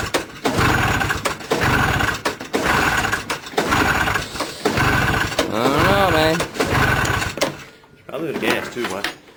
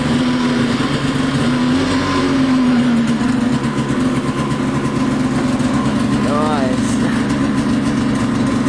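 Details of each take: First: 340 Enticer snowmobile, sitting on the ground with no slide rails, on a 34° August 2009 day: repeated rope pulls about once a second turn the engine over but it never catches; no-start, owner suspects probably gas. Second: Switchback snowmobile cold start on a 34° August 2009 day, prepping for winter: steady crackly two-stroke idle settling after the throttle is backed off, even and unbroken; idles fine from a cold start.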